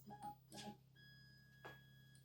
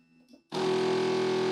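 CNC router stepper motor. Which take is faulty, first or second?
second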